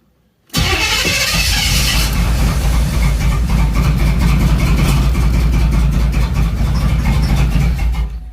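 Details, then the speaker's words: 3rd-gen Camaro, after replacing the mass air flow sensor and fixing a ground, spark controller plugged in: cranks, catches, then idles unevenly and lumpy, sounding badly out of time; rough running after start. "man this thing sounds like it's terribly out of time man that's awful"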